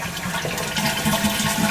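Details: Final check flush of a repaired toilet that kept running, done because water had been found on the floor. A strong, even rush drains the bowl cleanly with a steady refill hiss and no gurgling or trickle; no leak is suspected.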